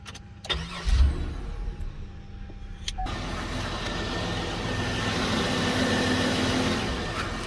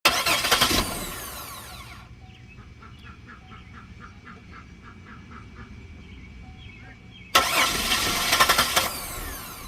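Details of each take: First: 2008 Buick with crank but no start, fuel pump relay (under recall) jumped as a test: starter cranks briefly, then the engine catches and settles into a steady, even idle, confirming the relay fault. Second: 2008 Buick crank-no-start: two spells of fast starter cranking with a pause between, and the engine never catches; a failed fuel pump relay that is under recall means no fuel is reaching the engine.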